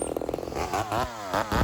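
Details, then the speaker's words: Rebuilt Homelite Super XL 130 chainsaw cutting smaller wood during tuning: uneven burbling bark that rises and falls as pressure is eased. It is four-stroking because the carb is set slightly rich and needs leaning. "So this is just a tad rich. So what you're going to see here is as I even just release a little bit of the pressure of the saw on the wood, it starts to bark at me. It starts to four-stroke a bit."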